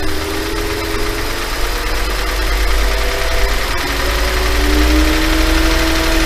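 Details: 5.2 FSI engine: loose, uneven rattle over a slightly raised idle as revs drift up; owner asks if normal, suspects piston slap, unconfirmed.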